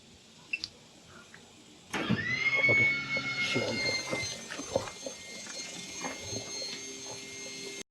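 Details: Caravan/RV automatic leveling system powered on, four legs lowering automatically: pump motor runs with a high, steady whine and a few clunks as the legs lower; normal leveling jack operation.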